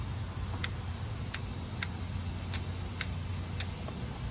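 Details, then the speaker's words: Briggs & Stratton V-Twin, new replacement carburetor installed (original's fuel solenoid failed): sharp, crisp clicks about every half second over a faint low hum as the new carburetor fuel solenoid snaps in, working properly. "So, the fuel solenoid actually works on this one."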